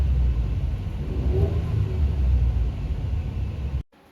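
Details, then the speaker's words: 2016 Ford F-150 2.7L EcoBoost, started just after replacing all six spark plugs with NGK Iridium LTR6IX. Even, steady low rumble with no misses or ticks; idles real smooth. Normal idle. "I'm going to start it up, see how it runs. Seems to be idling real smooth."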